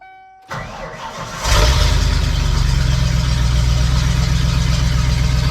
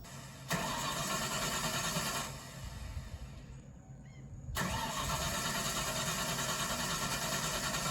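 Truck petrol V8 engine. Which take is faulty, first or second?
second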